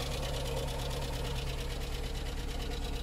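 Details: Skoda Fabia with Skoda engine (not VW-derived): fast even ticking, roughly two a second, over a steady idle; insidious engine fault.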